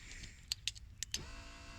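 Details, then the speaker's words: BMW K1200 in-tank fuel pump at ignition on. A few clicks, then a steady high electric hum starts and holds; the pump is spinning. If no fuel flows despite this sound, a blocked filter inside the tank is indicated. Normal fuel pump operation. "If you get that sound, and you've still got no fuel coming out, then obviously you've got a blockage. So your pump's working, but there's a block filter inside the tank."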